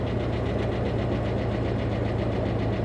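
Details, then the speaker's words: Dodge Charger police car, tornado-damaged at Copart, 63,000 miles: steady idle with light fast tapping, two or three ticks a second; suspected valvetrain tick, possibly from being parked, may not clear up; cause unconfirmed. "the engine sounds well she's got a healthy tick going on I'm hoping that maybe it's been parked for a while and that's going to clear"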